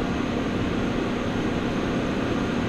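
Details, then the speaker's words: Mitsubishi Outlander PHEV just after towing a roughly 380–400 kg trailer: loud, steady whooshing hum ramping up with no knocks as the aircon cools the battery pack, raising consumption; the battery cooling fan is running normally. "you can hear the echo as well ramping up yeah so we've got a little bit of higher consumption now with the aircon cooling down the battery pack"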